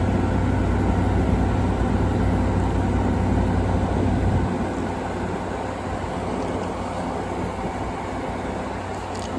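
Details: 2016 Frigidaire 5,000 BTU window AC: steady low compressor and fan hum settling to a quieter even drone after a few seconds; normal startup and running.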